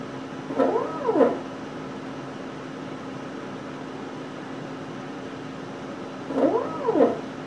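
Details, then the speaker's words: CNC stepper motor, previously grinding on acceleration/deceleration, run through a short replacement cable on 56 V DC drive: smooth rising and falling tones without rasp or stutter; driver ruled out, original cable/connection suspected. "so this sounded a lot better to me so I think it excludes the driver and its configuration from the problem"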